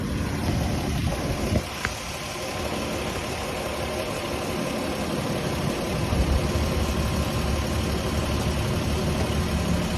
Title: Lexus is300 popping noise when turning wheel